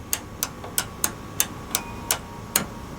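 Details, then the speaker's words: General Electric microwave oven that does not cook: door latch bracket turned by hand with the door open gives crisp clicks about three per second; both the monitor and lower latch switches toggle normally. "both of those switches are toggling, the monitor switch and the lower latch switch. So, those switches appear to be operating."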